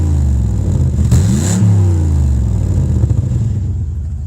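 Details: Cadillac 300 HP Northstar V8 with a broken exhaust, heard from the cabin: a loud, raspy, open bark that climbs sharply with each throttle blip, then drops back. Exhaust leak.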